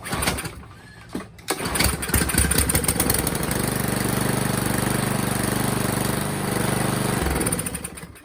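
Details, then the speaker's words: Toro Recycler 22-inch Briggs & Stratton mower before the carburetor cleaning; it won't start on its own. Short pulls, then with starter fluid it catches and holds a rough idle for a few seconds before dying. A carburetor problem is suspected. "then it will start and run, but it won't start on its own."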